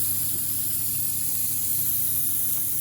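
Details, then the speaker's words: Fountain pump with UV and heater just started, steady high hiss of air escaping the filter bleed valve over a low pump hum while priming, before water fills the filter; normal. "So basically, this is your bleed valve. You'll hear it hissing."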